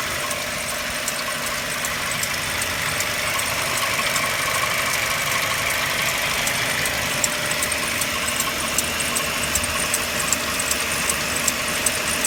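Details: Mercedes-Benz W204 with M271 engine, cold idle: light, fairly quick ticking knock about two to three per second over a steady hum; source not identified, owner asking for help.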